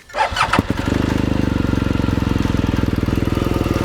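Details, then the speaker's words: BMW R1200 GS adventure bike on its center stand during a pre-ride inspection: the starter whirs, the engine catches and settles into a steady, even humming idle with no knocking or odd noises, so it sounds healthy. "All right. So the engine sounds good. I don't hear any knocking or any wild noises, so it's a nice humming sound. That sounds good."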